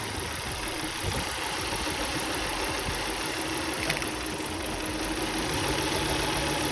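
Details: 2003 Volvo V70 2.4 four-cylinder: uneven idle with irregular stumbles and small thumps about three or four per second; misfire code 3502, ignition coil suspected, engine shaking.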